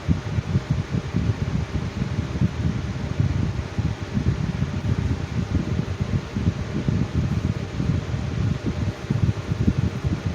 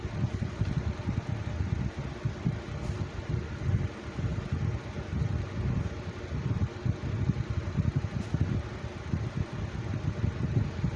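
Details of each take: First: Good runner as well as a preformer .. just has a some balance issues . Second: Lasko Cool Colors 20-inch box fan from 2019 on low speed: soft, even air rumble, no knock or rattle, hardly any vibration; runs smoothly despite known balance issues.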